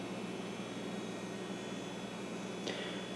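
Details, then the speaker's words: Compaq Deskpro 590 from the scrapyard: steady thin high whine with soft fan hiss, even throughout; old hard drive sounding its age, nothing wrong, normal whine. "I've heard many drives sound just like that, and it doesn't mean there's anything wrong with them. It just means that they're old."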